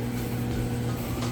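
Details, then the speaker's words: Roper Whirlpool electric dryer on high-heat timed dry, running without a vent hose, so the blower motor sounds louder than usual. A steady low hum with an even tumble and no knocks or scraping; running normally and smoothly. "and now typically it would actually be a little bit quieter once you get your vent hose on the back you wouldn't hear that blower motor sound so it'd be nice and quiet a smooth operation"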